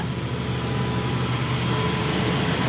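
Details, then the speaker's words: 1987 Dodge RamCharger V8, air cleaner off: steady, fairly fast drone that holds without dipping; owner thinks it idles a little high, cause not confirmed. "i think she runs a little high on idle but uh just give her a little gas man okay okay okay now she's running a little high"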